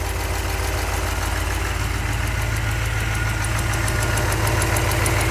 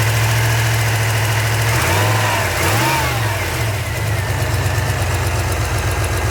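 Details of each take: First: 383 stroker V8 in a truck, after rebuild, idling cold during warmup outside: light quick ticking over the low rumble from a couple of small exhaust manifold leaks; gaskets used instead of RTV because the manifold was chewed up. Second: 383 stroker V8 in a truck idles with a steady low rumble and a brief rev dip and recovery while warming up after repair; small exhaust leaks noted, owner thinks fuel pressure may need raising.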